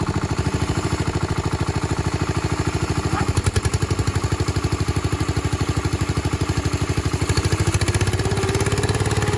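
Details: Restored 1968 Bolens Husky 775 hydrostatic garden tractor with swapped Hatz 1B30 single-cylinder diesel, mowing with deck engaged: steady even thump holding as the deck takes load, no knocks or misses; normal running under load.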